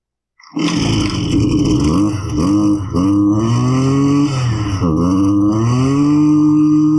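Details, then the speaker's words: Husqvarna 329L string trimmer: fires then revs sag and surge, dying as if out of fuel; loose intake insulator gasket loses crankcase pulse to the carburetor fuel pump, not a carb fault. "so when that insulator becomes loose the pulse becomes lost at that leak when you prime the machine and you get fuel up into the carb it'll run for a minute th"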